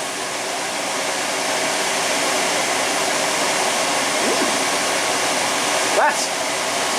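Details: Steady, even airy whoosh from drum and fan with no knocking, scraping or squeal; old recalled condenser dryer (model IS-70C, already modified), condenser coated and needing cleaning, runs perfectly fine on test.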